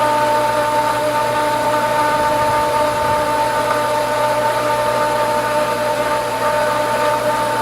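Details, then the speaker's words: Pool pump at spring opening with skimmer and main-drain valves set: constant motor hum with a steady high whine that gets louder; the pump seems to be running before fully primed, then starts picking up water. "all right little different sound I like that I'm not sure I like that sound getting louder"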